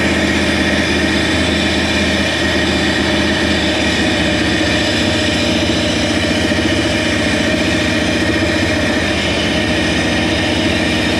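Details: Toyota 1UZ-FE V8 swapped into a Land Cruiser, steady idle with uneven lumpy beat under the exhaust, one cylinder dead (number seven). Injector driver and coil tested good; owner suspects a faulty spark plug or in-cylinder fault, not confirmed.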